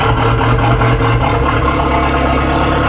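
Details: 1981 Porsche 931 turbo, just started after the distributor and rotor timing was set: loud, deep, steady idle with even firing and no misses or knocks, loud from a holed exhaust; normal idle.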